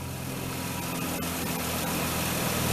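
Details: 1996 Ford Explorer just started after starter solenoid replacement: smooth fast idle holding an even hum that builds slightly, no ticking, knocking or misfire; engine runs healthy.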